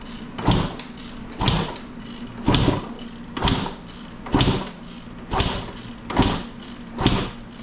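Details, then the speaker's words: 1995 KTM 300 EXC that won't start, kicked with the choke on after carb work; owner suspects low compression: about eight kicks roughly one a second, each a brief whoosh that never catches. "something we can try if compression is low a bump start we'll kick it over fast enough that we can maybe get enough compression that it'll fire"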